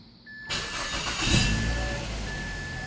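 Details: 2004 Mazda 3 2.3 L naturally aspirated petrol, start after MAF sensor cleaning for code P2188 (running rich) and battery reconnection: short crank, clean catch, smooth even idle over a faint chime; check engine light went off.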